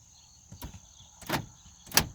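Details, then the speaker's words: 2016 Subaru Forester 2.5i Premium with a no-crank, no-start, limited-power fault after a refuel stop as temperatures fell from 75 to 50°F: three sharp, evenly spaced door lock actuator clunks show the power locks work normally, while windows and the 12V accessory socket stay dead. "lock and unlock the doors but i can't open the window or closed windows"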